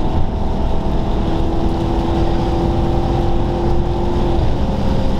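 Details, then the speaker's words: Maserati Quattroporte at about 100 mph on derestricted autobahn: loud steady rushing roar with low buffeting throb because a window doesn't quite close properly. Wind buffeting from window not sealing. "and that wind noise you can hear is annoyingly because this window doesn't quite close properly so uh there's a lot more buffeting or wind noise than you might expect"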